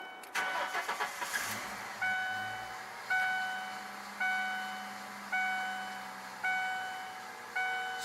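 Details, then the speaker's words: 1996 Ford Mustang blowing white smoke, after refilling coolant with Bar's Leak and thermostat work: brief crank, quick catch, quiet idle under door chime; starts nicely, though owner notes one cylinder not firing. "Starts up nicely. good smoke. The motor's running smooth."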